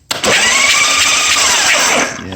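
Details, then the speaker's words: 1986 Harley-Davidson Softail, one plug with coil wire fitted to test spark: harsh even cranking with a few ragged catches that never pick up; firing but weakly, owner unsure it has any gas in it. "firing not real good but it is firing i don't know if this thing's even got any gas in it"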